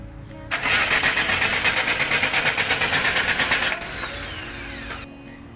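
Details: Engine cranks steadily for about three seconds at roughly three beats a second, then stops without ever catching or firing. Crank, no start.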